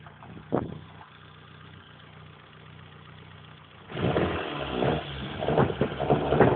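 Idle has a lumpy, irregular beat with occasional stumbles before the revs pick up; a misfire, cause not evident.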